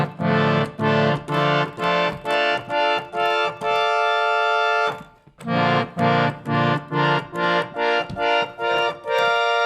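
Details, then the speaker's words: Raga Kirtan Premium harmonium tuning check, chords played in inversions along keyboard; full reedy chords held about half a second, steady with no beating or buzz; about 95% in tune, some chords slightly off. "It sounds very good. I mean, it doesn't sound like perfect, but I never had any harmonium which sounds like perfect."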